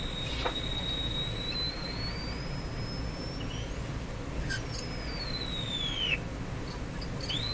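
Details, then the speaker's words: Philco 38-C7 tube radio during RF alignment check, on a non-broadcast band at the top of the dial: high whistle gliding in pitch over steady hiss as the dial moves; RF oscillation. "well something happened what happened it's still happening this is another oscillation"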